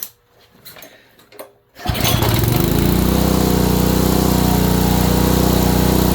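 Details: Honda small engine, probably a water pump, after installing ignition coil; quiet clicks, then fires and settles into hard regular knock about four per second. Owner suspects bottom end.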